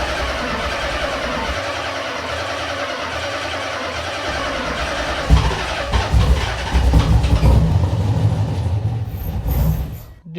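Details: Z V8, first startup with new wiring, not in gear: cranks, fires promptly and settles into a deep, steady V8 idle with a couple of throttle blips; normal healthy start.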